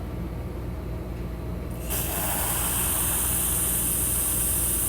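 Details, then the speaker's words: 2005 Procharged Trailblazer fuel injector bench test, held open and pressurized: the hiss jumps up and holds evenly as a clean, consistent spray. It shuts off when released and tapped; the injector is healthy. "so now we're going to pressurize it let off the terminal again make sure it's not sticking tap it a couple times and this one also seems pretty happy"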